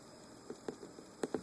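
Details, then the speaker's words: Maingear F131 desktop computer, quiet for years, suddenly making soft uneven intermittent ticking; noise continues with the spinning fan stopped by finger, source unknown, fan suspected. "The noise continues, so I don't recall hearing that noise before, because every morning I come down here and turn on my computer and it's always so quiet, and I never heard that noise until this morning."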